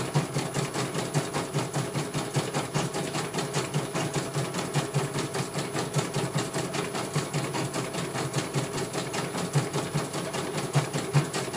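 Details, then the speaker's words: CNY computer embroidery machine from Banjarnegara, Central Java, test-stitching after service (dynamo motor earlier wouldn't spin at all): quick, even needle ticking over a light motor hum, no scraping or rattle; one colour finished, result very good, normal stitching. "Selesai satu warna. Kalau ini bagus sekali, langsung saya tutup saja ya."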